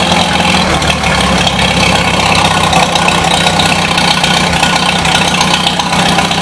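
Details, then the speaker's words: 1953 Super H still warming up and burning paint off the muffler: a steady, slightly ragged idle with a hollow, uneven note and no knocks; the owner suspects it may be running lean but is unsure. "almost sounds like it's lean I don't know so okay"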